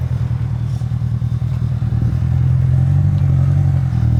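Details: Acura RSX Type-S just fitted with a PLM exhaust: engine catches and settles into a deep, steady, even low exhaust rumble with no rattles; normal start and healthy idle.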